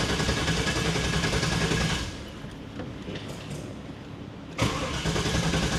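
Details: 1995 Pontiac Firehawk, 5.7 LT1 with T-56, sat over 10 years, after briefly running then quitting: even starter cranking, a pause, more cranking that never catches; owner suspects something shorted out.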